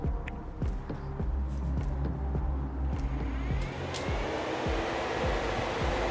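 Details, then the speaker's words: VW Golf Mk1 with a swapped 2.0L 8v engine on Dellorto DHLA carburetors, new Mishimoto radiator fans run by bypassing the temperature switch with 12 V: a steady airy rush with no rattle or scraping. The fans are healthy. "they are working excellently and pulling a lot of air so i don't think we are going to run into cooling issues anytime soon"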